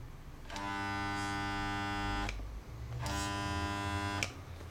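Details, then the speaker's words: Janome 669 sewing machine, foot pedal pressed twice for about two seconds each: steady buzzing motor hum with no stitching rhythm, so the motor runs but nothing sews; owner suspects wrong settings, possibly broken. "so it just sounds like the wrong setting or something I don't know it could actually be broken might be"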